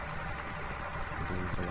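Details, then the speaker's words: Komatsu PC200-6 excavator diesel with black smoke and low power: uneven, harsh idle with lumpy beat from one cylinder; injector number 3 found leaking, rough cylinder. "Nah di pistol nomor 3 nih suaranya curang banget sama dengan sedikit kasar nangis karena nyatanya bocor teman-temannya"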